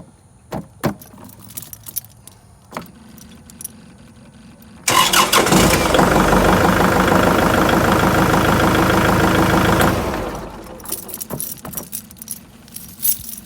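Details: Kubota tractor after ignition switch replacement, fixing hard starting and dash cutting out: diesel catches at once, steady even clatter about five seconds; clean normal start.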